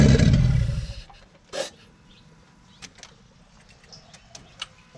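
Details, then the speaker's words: Toyota 2JZ-GTE, run outside the car on chassis wiring with battery charger attached: fires with a loud low rumble, runs barely a second, then dies; stalling cause not yet found. "Obviously, it dies after so long, which again, once it's actually in the car, it I've got to figure that out."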